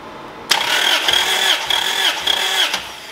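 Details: 2001 Toyota Celica GT cranking with the fuel pump relay removed for a compression test (about 180 read): starter spins the engine at an even steady beat with regular compression dips and no firing; normal cranking with good compression.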